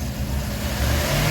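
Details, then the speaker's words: 1997 Dodge 3500 conversion van, 5.2 Magnum V8, first drive after cylinder head replacement: revs climb and hold with a weird whine while it barely creeps, goes in first but nothing in second; owner suspects transmission slipping. "Nothing in two. And you can hear a weird whine. You see it kind of can do it. Kind of move it a little bit. It is not happy though. I think it's slipping."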